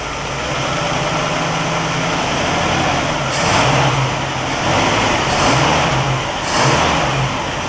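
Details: 1960 Pontiac Catalina 389 V8 on a Heathkit IO-20 ignition oscilloscope, blipped three times: each rev rises cleanly and returns to steady idle without stumble or misfire; ignition found spot on.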